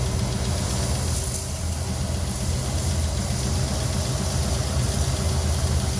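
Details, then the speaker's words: 1969 Ford Mustang Mach 1 with a 351 V8, first start after decades of storage: uneven, lumpy, loping idle with irregular stumbles; it needs a little more fuel. Rough idle. "All right. Needs a little bit more fuel."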